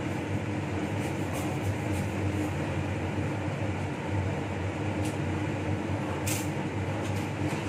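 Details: Laminar flow hood restarted during reassembly of a Toshiba DT01ACA100 donor hard drive: smooth, constant airy hum with a low steady drone, no rubbing or rattle; the blower is running normally.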